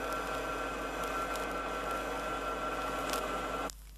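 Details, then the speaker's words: Rear axle differential with correct pinion depth setting gives a soft, even, low-decibel hum, not harsh, that cuts off cleanly; normal gear mesh with proper tooth contact pattern. "like notice that the sound is very low deciel and is in the nature of a hum and not harsh"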